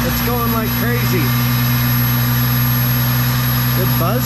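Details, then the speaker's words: 1999 Ford Mustang V6 with P0411 code, cold start: secondary air pump buzzes loudly with low droning over idle, cycling on and off; relay and motor fine, noise from the mounting bracket contacting the pump without clearance. "it's running and it's turning on and off so I think our relay is okay and obviously our motor is okay but man it makes some noise"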